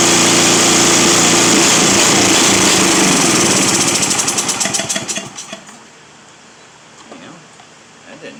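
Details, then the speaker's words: Simplicity 7524I snow blower with a Briggs & Stratton 7.5 hp engine, primed, on choke, with the safety switch temporarily reconnected: it roars briefly, then breaks into slowing, uneven pops and dies within seconds; rough running, engine stalls. "she's just not happy no she's not a happy camper"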